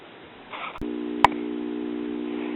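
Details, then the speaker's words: 1967 Heathkit solid-state 4-speed kiddie record player with a four-transistor amplifier: a click, then a steady low buzzing hum with nothing playing, mostly fading when the volume is turned down. Possibly normal; capacitors are suspected. "you can hear we have a little harm that goes away mostly goes away when I turn the volume down so that may be normal for this amp but I will test those capacitors"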